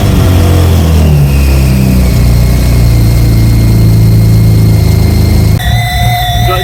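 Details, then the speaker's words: Alfa Romeo 156 V6 after a rebuild and shell swap, on its first test run: a thin high whistle rides over a loud revving engine, seemingly from the intake; not confirmed. "Whistling you can hear, and it sounds like it's coming from here."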